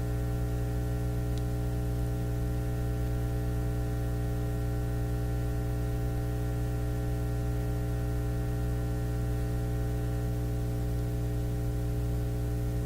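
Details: Nordmende Elektra F13 tube radio warming up after switch-on: steady low mains hum with buzzy overtones and faint static. Technician suspects the power supply; much of the hum was then found to come from a test clip lead.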